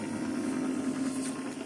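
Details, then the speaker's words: Epson ET-4800 printer after a complete reset, during setup initialization: quiet, steady mid-pitched whir from the scanner carriage motor with no grinding or clicking. The scanner works, though the printer then freezes on the last setup screen. "That's the scanner. If you guys wonder what that sound is, the scanner does work."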